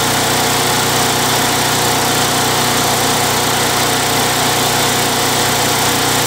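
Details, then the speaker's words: Craftsman Eager One mower with Tecumseh 92cc engine, after repair of surging with an additive: steady, even single-cylinder buzz with no rise and fall in speed; runs smoothly, repair successful. "over here well guys well guys it's running pretty good um I think that's a successful repair"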